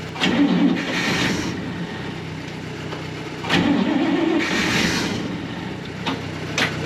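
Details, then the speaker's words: 1965 Clark Cortez motorhome Dodge V8 that ran briefly, then died. Starter grinds in uneven bursts a couple of seconds apart and it never fires, despite starter fluid and throttle opening. Cranks, no start. "हमने सब कुछ आज़मा लिया लेकिन हमारा V8 फिर से काम नहीं करेगा"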